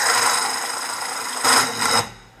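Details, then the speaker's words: Fabric cutting machine: high, raspy whirring with a gritty rub over the motor, then two rougher bursts before it cuts off; damaged small bearings, not yet replaced. "barulho quando eu tirei aqui que fez esse barulho é os rolamentoszinho dela que tá estragado"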